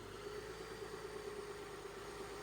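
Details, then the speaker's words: Flood-damaged 2007 Cadillac CTS, about 50,000 miles, first run with AC/power steering belt bypassed due to seized AC compressor: quiet even idle, steady mid hum, no knocks, misses or stumbles; normal idle. "Yeah, it seems to be running pretty well."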